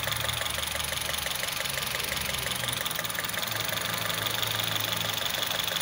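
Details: Honda City i-VTEC idling with uneven stumbling tick about three times a second over hum; misfire from bad coil pack, coil pack changed.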